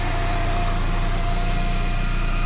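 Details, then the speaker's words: Cobalt SS being reassembled, hoses and wiring harness just reconnected, running at idle: steady low rumble with a constant mid-pitched whine on top; owner suspects the brand-new intercooler pump is unusually loud, cause unconfirmed. "do you guys hear that my intercooler pumps really loud is that normal that's a brand new intercooler pump that's why i ask"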